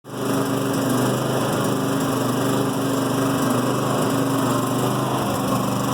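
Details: New Firman generator in Eco mode at light load: small single-cylinder engine buzzing with an uneven, stumbling beat and slight misfire or backfire pops. Rough idle, reportedly reduced out of Eco mode or under load; cause unknown.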